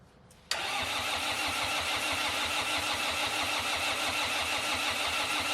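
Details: Red-D-Arc D300K diesel welder generator, Kubota V1902 four-cylinder diesel, after restoration and fuel priming: catches instantly and settles to an even, steady diesel idle with regular beat and no knocks; healthy.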